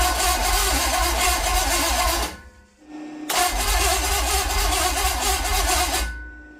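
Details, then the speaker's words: Mystery small-block Chevy 350 bound for a 1959 El Camino, after distributor, wiring and coil refitted: steady cranking with even compression beats, a pause, more cranking, sounds close to starting but never catches. "it so sounds like it's going to start and then nothing"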